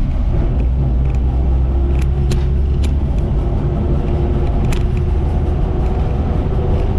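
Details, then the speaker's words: 1958 Ford F-250 panel truck (F100 series) on the road after fuel, plug, wire and points work: deep, steady engine rumble under load, no knocks or rattles, with smooth clutch and shifts and some rear-end gear whine; normal running. "Thankfully, the truck's making all the right noises. Clutch works, seems to function just fine. Shifts through all the gears very, very smoothly."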